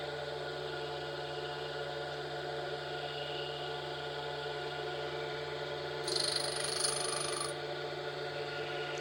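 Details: Steady motor hum with a short, soft hiss as a Norton CBN wheel, used for the first time, touches a four-flute end mill on a 20° secondary clearance grind, in-feed about a thou at a time; smooth and quiet, owner remarks it doesn't sound like grinding.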